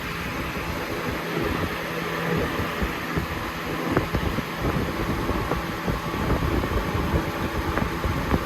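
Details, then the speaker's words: Lasko Premium box fan (3723 vs 3720 Weather-Shield comparison) on high speed: steady airy rush with a faint thin whistle over it. "I think this is like one of a few fans that has this whistle sound, and you can hear it clearly."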